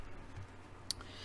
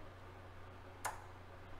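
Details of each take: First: Yamaha CR-1020 stereo receiver after protection board repair, reported popping and protection relay cutting in and out; powered on at minimum volume, a single clean relay click as protection engages, no popping. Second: Yamaha CR-1020 stereo receiver, previously repaired protection board, switched on at the bench: one sharp protection relay click with a speaker pop over a low hum, then a fainter click; it goes in and out of protection.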